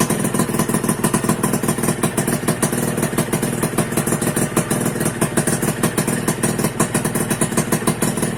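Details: 2001 Suzuki Satria two-stroke that wouldn't start from lost ignition, traced to faulty on/off button in right handlebar switch, bypassed: steady crisp idle with even popping pulses, no misses; runs healthy after fix.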